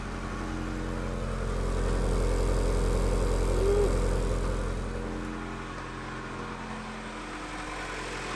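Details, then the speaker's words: Honda Integra DC2 SiR-G B18 engine on first start in over six years, fresh oil and gas, in neutral: steady cold idle with a fast even puffing tick, about four per second; exhaust leak, no fuel leaks. "no leak spill you can hear the exhaust leak but no fuel leaks"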